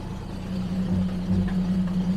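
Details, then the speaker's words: 1974 Jaguar XJ12 carbureted V12, cold, needs warm-up, timing adjustment and carb tuning; steady low hum with occasional stumble, missing on one cylinder though now running on 12. "Alright, I mean, we're missing on one there, but it definitely needs a lot of adjustments."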